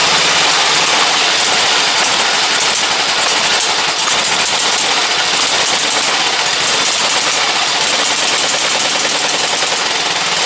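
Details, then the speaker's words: Briggs & Stratton 17.5 OHV single-cylinder lawnmower engine, muffler fitted, bottle-fed fuel at night, on a substitute carburetor; thin rattly exhaust beat stumbling unevenly about three pulses a second; runs poorly, carburetor judged junk, other carburetor to be refitted. "Don't run very good with that carburetor on it. That carburetor's junk."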